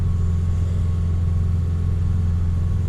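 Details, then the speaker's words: 2002 Toyota Camry after head gasket repair with the head resurfaced 0.010 in: steady, even low idle rumble with no stumble or knock. O2 readings were stable and slightly rich, with no misfires counted, though a faint occasional miss is felt. "it's running fairly stable it's actually adding it's actually acting like it's running just a bit rich I think it's actually pretty good it's actually oscillating"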